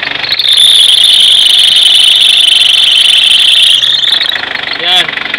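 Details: Car engine running with a loose fan belt before adjustment: a loud, steady high-pitched squeal rides over the engine for several seconds without letting up, a slipping fan belt.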